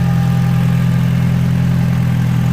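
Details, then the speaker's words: Audi TT with a 1.8 BAM engine, started after fitting upgraded injectors with new seals and checking for fuel leaks, on stock intercoolers before the injector map is loaded; it starts fine and holds a steady, even idle without misses, knocks or hunting. "so let's kind of crank it and see if he starts there he is started just fine"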